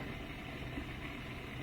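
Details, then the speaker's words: New Bosch Ascenta dishwasher, first test before panels and insulation fitted: steady low hum with soft watery swish as water circulates, fairly quiet, no knocking or grinding; normal wash circulation. "So now I can hear circulation. Just turn on for a second. Here you go, turn it on again. So that's the water swooshing around."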